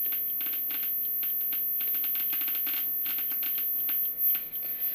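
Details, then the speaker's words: DIY Geiger counter with STS-5 (SBM-20-type) tube near americium-241 smoke-detector source, mostly alpha with beta/gamma decay products: sharp, irregular clicks come thick and fast, a high count rate. "this is a marine CM 241 from a smoke detector I believe it's one micro chain but it emits mostly alpha but some of its decay products amiss betas and gammas so we should be able to detect it a little bit here this is a definitely most potent sample"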